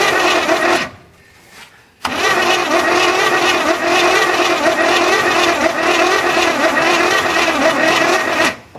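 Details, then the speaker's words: 1981 GM square body truck that sat in a field 25 years, hot-wired and cylinders soaked, possibly low compression: long labored cranking that never catches, slowing as the battery runs down; slow crank from a weak battery. "I'm losing my battery already. Well, that sucks. Well, that didn't last very long. I guess we'll have to charge the battery and try her again."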